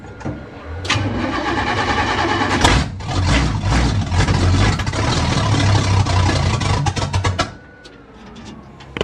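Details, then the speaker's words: 406 engine, cold and not started in a while, after installing a DIY relay fuse panel for electric fans and universal key: long crank with uneven firing, then catches and revs before settling; hard start, cause unknown. "oh oh come on don't disappoint me i guess it doesn't want to start really what am i missing"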